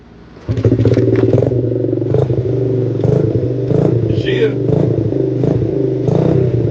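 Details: Honda CRF50 after replacing a throttle cable that had the bike stuck at full throttle, started with choke fully on; small single catches and settles into a fast, even putter with light throttle blips, no hanging revs; running normally.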